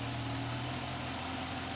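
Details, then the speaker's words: Chrysler 300C 5.7L Hemi after fixing the melted #8 coil pack and replacing the blown #15 fuse; quiet, smooth V8 idle with steady low hum, no stumble or missing beat, all 8 cylinders firing evenly again. "and it's running on 8 cylinders again. We'll see how long this lasts for. Purrs like a kitten."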